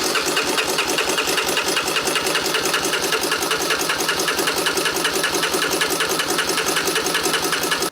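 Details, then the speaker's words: 1987 Honda TRX250 Foretrax ATV that sat for years, choke and fuel on: starter cranks steadily with even compression pulses for eight seconds but never fires; spark not yet checked. "Nothing. Shocker. Sorry, I heard that from here. Yeah, I know. The starter sounds great."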